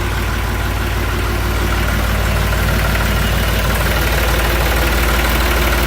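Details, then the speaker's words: Ranch diesel tractor with starting trouble, battery just under 13 volts, fired right up after hammering the starter and solenoid: even, steady chug about three beats a second, no misses or knocks; healthy idle. "Beat up on this solenoid a little bit. Some bitch fired right up."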